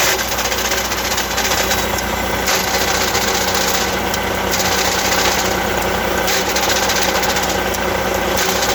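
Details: Truck diesel idling with an Eaton Easy Pedal Advantage clutch: irregular light rattle with a recurring metallic hiss every couple of seconds; abnormal clutch noise, cause undetermined.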